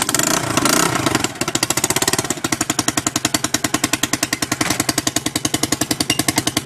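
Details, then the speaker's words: Chinese 125cc Baja Dirt Runner dirt bike just after the restored exhaust pipe was refitted, given some throttle; sharp rapid ticking puffs at each firing, speeding with throttle, raspy; exhaust leak because the pipe is not seated properly in the port; fix is to realign it. "That sounds like we have a leak. We do. That's not in there properly."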